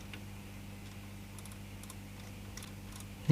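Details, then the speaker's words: Sanyo MWS400F 1980s mini boombox cassette mechanism run by hand: faint irregular clicking over low motor hum as the small intermediate gear fails to engage the take-up reel gear and sounds crunchy; take-up gear slipping suspected. "hear it just clicking on the gear so this is the takeout reel then there's this little intermediate little tiny gear and that sounds a bit crunchy even"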